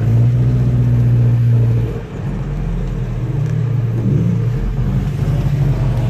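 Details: Volvo Amazon 122S with a Weber DGEV 32/36 carburetor and a newly replaced, adjusted choke, warmed up. A deep steady rumble with a brief dip near two seconds, then an even idle without stumbles; it stays running normally.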